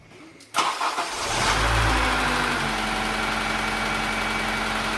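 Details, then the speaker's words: Honda Integra DC5 / Acura RSX base model, started briefly with serpentine belt removed; clean start and smooth even idle with no whine, so the whine comes from a belt-driven accessory (power steering pump, water pump or AC compressor). "okay so with the belt off the sound has gone"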